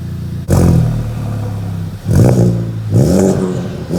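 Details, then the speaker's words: Type R turbo with USR downpipe, stock front pipe, 5-inch Magnaflow muffler replacing resonators, 3-inch straight piping, no codes after 2000 miles: catches to a deep steady idle, then two clean throttle blips rising and falling smoothly; healthy. "I'm gonna show you guys what it sounds like with a cold start, and then I'm gonna let you guys let it warm up a little bit, show you guys what it sounds like when it's warm. I'll rev it up a little."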